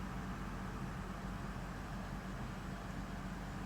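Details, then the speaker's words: Lexus LX570 AHC suspension priming for the first time after accumulator globe replacement, in neutral position with likely air in the system: a steady low hum with a constant faint whine, the hydraulic pump running normally. "I still hear the hydraulic pump going in the back, the whine. So I'm going to give it another 10 seconds or so until that pump stops."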